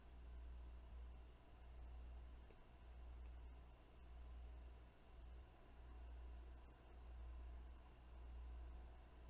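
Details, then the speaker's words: Weeylite Ninja 400 bi-color COB LED light at 50% intensity, microphone about four feet from the light: very faint, steady low fan hum, no rattle or ticking; fan kicked in after eight minutes, quiet and normal. "the fan noise is pretty quiet for the most part at 50 percent intensity it took eight minutes for the fan to kick in"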